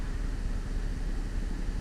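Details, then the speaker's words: 2004 Cadillac CTS 3.6L V6 after replacing the PCM (used unit) for a cylinder 3 injector driver fault and misfire: smooth, even low idle with no stumbles, misfire gone; normal idle. "as you can see guys we replaced the pcm we had a"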